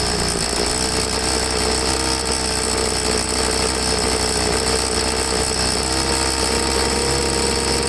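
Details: Troy-Bilt two-stroke leaf blower after carburetor cleaning, started on half choke: a buzzy, uneven note whose pitch wanders, rough and starved. The primer bulb lost prime because the tank was out of gas. After refuelling and a slight carb tweak it ran good.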